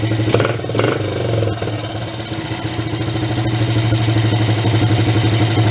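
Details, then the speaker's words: 1983 Suzuki 125 three-wheeler ATV, barn find revived after run issues: brief rev then steady, even low putter with no misses or knocks; idles cleanly, purrs like a kitten, idle speed could come down a little. "this i think purrs huh okay like a kitten"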